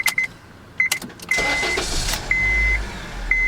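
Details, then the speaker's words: 2006 Honda Civic with intermittent no-start (nothing on key turn; starter ruled out, ignition switch suspected), after fitting a used ignition switch: chime beeps, short crank, engine catches at once and idles evenly. A clean start. "All right, before we button everything back up, we're gonna test this out and see how it does. If it starts on the first time, we're probably good."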